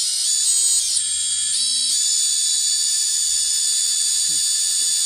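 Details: XING 2207 brushless FPV quad motor before 684ZZ 9x4x4 bearing replacement; thin, high-pitched steady whine with a rough, gritty edge as it spins up: worn motor bearings.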